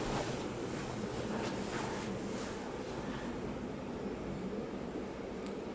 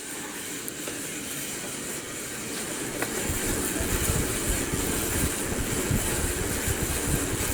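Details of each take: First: Bedroom ceiling fan running after oiling the motor to cure a raggedy, rackety noise: only a soft, steady airy rush with no grinding or ticking; now smooth and quiet. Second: Bedroom ceiling fan running, motor making intermittent grinding that starts and stops: rough gritty rumble building then harsh top end dropping away; cause unknown, light switch also not working.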